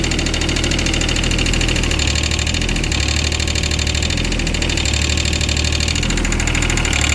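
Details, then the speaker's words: Wacker Neuson 803 / Cat 300.9 mini excavator diesel, bought as-is, glow plugs suspected, warm: loud uneven clattering knock at idle, barely smoking; owner calls it fuel knock, unsure if normal or one cylinder not firing. "I don't know if that's normal or not for it to sound that with that knock like that. I mean, I know it's fuel knock, but I don't know if it's supposed to be that noisy or if maybe one of the cylinders is not firing."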